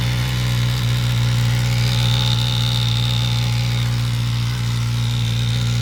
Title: suzuki gsxs1000 rattle noise on cold start up